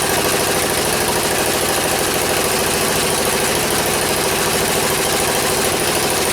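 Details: 1977 MTD 990 16 hp Dayton-badged tractor engine after the points were done, the coil gapped and ignition and starting-system wiring faults fixed: steady, even idle with a regular beat, no misses, knocks or hunting, running cleanly.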